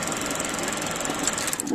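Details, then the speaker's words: ELMO 16 CL Xenon 16mm projector running: rapid regular crackling clatter from film path over motor, speed varying; rubber guide rollers worn, badly repaired with heat-shrink sleeve of wrong diameter, need replacing. "De diameters zijn niet goed We luisteren naar wat er gebeurt We horen een zwak geluid met gekraak"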